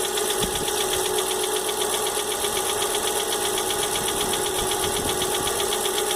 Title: Fox com barulho no motor